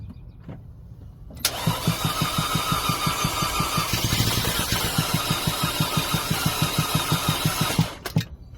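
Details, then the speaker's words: 2011 Audi A4 2.0T no start with about 30 psi compression on all four cylinders: quick, very even, hollow-sounding cranking about three beats a second with no catch; gasoline smell in oil noted. "Sounds hollow. Yeah, doesn't look like it's gonna work."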